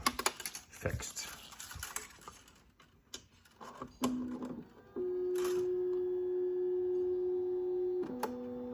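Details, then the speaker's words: Anycubic Ace Pro feeder loading filament into slot 3 after the buffer fix for filament rejection: light clicks, then a steady motor hum with a faint whirr as the filament feeds in smoothly; working normally. "Awesome. Now it works."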